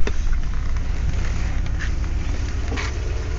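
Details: Jeep Grand Cherokee WJ 4.7 V8 idling after sitting most of the winter with the battery disconnected, having started without problems. A low, smooth, even rumble with no ticks, knocks or misses; it sounds healthy.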